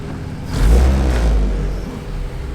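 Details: Honda CRX just started after sitting for months, still warming up: engine blips up smoothly and settles back to a steady idle, clean and even with no knocks or rattles; sounds healthy.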